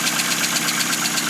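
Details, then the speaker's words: 2000 Hyundai Accent idling cold just after clutch and transmission install, not run in a long time: fast even light ticking, roughly eight a second, over steady idle, sewing-machine tick, cause unknown; needs warming up. "golly, this thing is working. It sounds like a sewing machine because it's not been running in forever. So, it needs to warm up a little bit."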